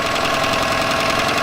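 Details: Yamaha 9.9hp outboard idling after replacing a cracked, dried-out carburetor diaphragm that caused heavy gas leaking; quick even beat, no misses or hunting; healthy idle.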